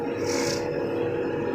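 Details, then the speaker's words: New 2023 JCB 3DX backhoe loader, loader up, foot on brakes: harsh steady rubbing rasp with a faint mid-pitched ring each time brakes are applied; source of the brake noise still unknown. "जैसे ही मैं break apply करता हूं ना भाई कितनी ज्यादा आवाज आ रही है"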